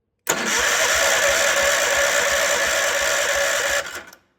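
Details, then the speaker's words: Wheel Horse C-120 garden tractor, first crank with the clutch pedal pressed. Strong, steady starter whir with even compression beats about three a second for nearly four seconds; normal starter cranking. "So I assume we have to put our foot on the clutch as such, and we'll see if we have any power."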